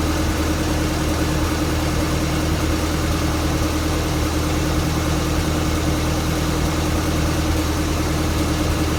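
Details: 1962 Land Rover Series 2A 109 LWB 2.25L diesel warm idle with an intermittent miss, jerking and bouncing; runs smooth cold but rough once warmed up, during a pump-timing and timing-chain check.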